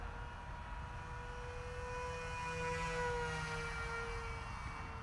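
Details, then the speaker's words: Dal Prop Fold F7 folding propeller on a flying wing, 3S battery, a bit above half throttle in flight: steady motor whine with a low, deep rough buzz underneath; prop suspected out of balance, may need dynamic balancing. "May need to balance it though. Yeah, hear that buzz. That's quite out of balance."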